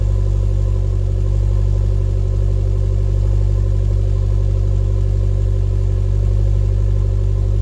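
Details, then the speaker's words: 2012 Chevy Sonic turbo hatchback on cold start at idle after fitting an eBay cat-back exhaust: deep, even rumble with a soft puffing pulse about three times a second from an exhaust leak at a pipe joint that was hard to tighten. "And we have an exhaust leak, right where I was worried about."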